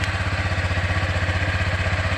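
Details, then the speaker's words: Honda Click version 3 scooter at 197 km, idling with a fast, even putter and a rattly, clattery top layer. It was quiet before, unlike very quiet new ones; owner thinks noisiness may be a known issue. Cause unclear. "Yung andar niya medyo maingay. Hindi siya noon ay tahimik lang. Talagang ganito na lang yata ang issue ng medyo maingay siya."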